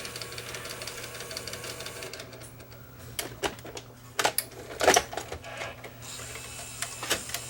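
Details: Sony EDV-7300 ED Betamax VCR after loading motor removal and inspection for sticking pinch roller engagement: steady low hum with sharp mechanical clicks and clunks as tape threads and ejects; transport now cycling normally.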